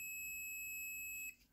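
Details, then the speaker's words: Tester continuity beep, steady high tone about a second, used to test a spark plug from a Honda Click that starts then dies after minutes and misfires; continuity tester beep. "So kung meron kayong tester ang gaya nito, itapat niyo lang dito sa may nagbi-beep an sa may continuity. Pag dinikit kasi tutunog siya."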